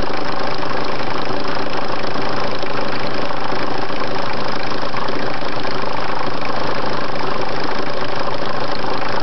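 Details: Engine at idle: loud, steady idle with a faint repeating knock of about four per second under the engine roar; the source is unknown.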